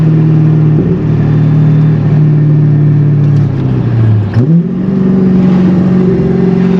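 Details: C5 Corvette, manual, hot day, pulling away from a light after the intake was reinstalled; clean pull through a gear, pitch rising evenly, brief dip at the shift then smooth climb; healthy.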